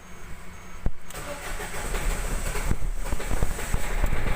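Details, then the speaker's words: Ford Figo diesel TDCi (owner says 1.4): engine won't start, catches only with accelerator, then rough uneven firing building to a lumpy, heavily knocking idle with check-engine lamp blinking; hard starting from faulty injectors, fixed by replacing both injectors. "देखिए देख रहे हैं ना, गाड़ी start नहीं ले रही है पर एक्सीलेटर करके स्टार्ट ले रहा है। बहुत नॉकिंग हो रही है।"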